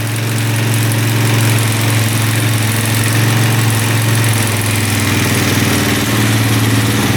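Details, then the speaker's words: 2004 Suzuki LTZ400 after a faulty petcock was found, oil filled, warm: steady idle with an even low thump and light chatter from aftermarket valves that are within spec, no smoke or misses. Normal idle. "no smoke yet sound pretty good the aftermarket valves are what you're hearing little chattery but those were perfectly within spec"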